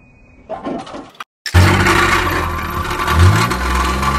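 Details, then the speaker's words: Car with a burst exhaust silencer, later taken to a welder for repair. Engine fires and revs with a loud, raspy, blatting exhaust note that rises with throttle. Exhaust silencer leak. "यह जो silencer पटने की आवाज़ होती है अगर आपको भी कर में ऐसी कोई आवाज़ ए रही है तो आप इसे कैसे रिपेयर कर सकते हैं"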